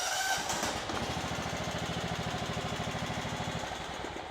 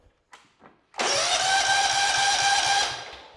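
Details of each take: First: Kohler Command CV15S on a John Deere LX255, after an ignition coil replacement for a crank-no-start fault: catches and runs with an even, rapid putter, no misses or scraping; first run since the homeowner bought the house. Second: Kohler Command CV15: the starter cranks evenly but the engine never fires. With the ground wire off there is still no spark, proving a bad ignition coil; a new coil is to be installed.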